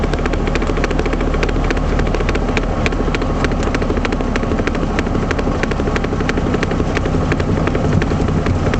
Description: Triumph Spitfire rear knocking noise. This noise was caused by the failure of the passenger side axle universal joint.